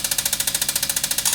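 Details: Bose Wave radio CD player with jammed disc that won't eject, before disassembly: rapid, even ratcheting clicks about thirteen a second, no motor note underneath. CD mechanism gear slipping.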